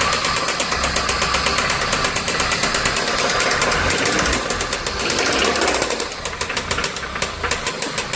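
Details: VW Santana AP 1.8, oil level correct with new oil and filter, no smoke, oil pump, hydraulic lifters, timing and camshaft already checked: loud sharp metallic knock about three per second over idle, steady; connecting rod play suspected.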